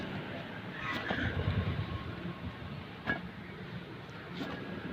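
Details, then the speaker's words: Maruti Suzuki Alto 800 left front hub, removed along with the knuckle, spun by hand: low rough rumbling hum from a worn bearing with play, the source of the hum heard while driving. "Okay, ഈ മൂളിച്ച സൗണ്ടാണ് വണ്ടി ഓടിക്കുമ്പോൾ കേൾക്കുന്നത്. കണ്ട, ഒരു bearing ഉടക്കുന്ന പോലെ ഉരു ഉരു ഉരു എന്നുള്ള ഒരു സൗണ്ട് കേൾക്കുന്നുണ്ട്."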